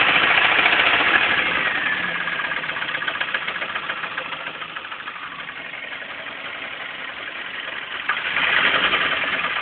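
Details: Pontiac Sunfire engine that started knocking on the way home. Steady, fairly regular light knocking about three or four per second over a thin high-pitched hum. Engine knock, cause unclear.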